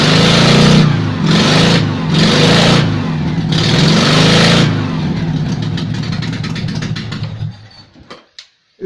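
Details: Invacar twin on axle stands after 14 years in a field, running with the exhaust removed, which was packed with acorns and debris: loud raw unmuffled blatting that swells and falls with revs.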